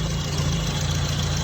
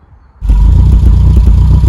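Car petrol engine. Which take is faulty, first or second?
second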